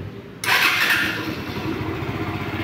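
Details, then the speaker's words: Bajaj Pulsar NS160 after engine rebuild for lubrication failure (crankshaft, cylinder, cam chain, chain guide, oil pump replaced): starter whir, then catches cleanly and settles into a steady, even idle with no knocks or rattles; fully functional. "Aquí ya la hemos terminado, nos quedó totalmente funcional esta motocicleta."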